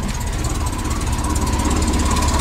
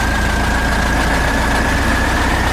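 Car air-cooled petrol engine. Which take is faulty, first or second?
second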